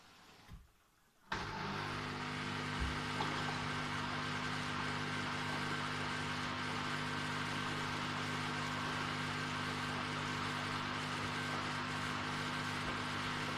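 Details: Samsung washing machine: after a quiet second, a loud steady whirring hum with a low droning tone; abnormal running noise, cause not stated.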